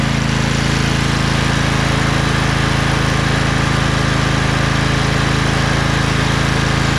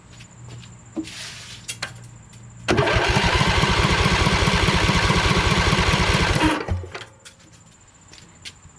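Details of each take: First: Craftsman LT2000 lawn tractor repowered with a Briggs 20HP Intek V-twin, owner suspects a blown gasket on the right cylinder. After about 10 minutes: smooth, constant drone, no tapping, popping or misfire, no smoke. Normal running. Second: Briggs 20HP Intek V-twin in a Craftsman LT2000 tractor: about four seconds of steady, even cranking chug during a compression test with a second gauge. The right cylinder reads lower than the earlier 115, and the gauge needle leaks down. Cause unconfirmed.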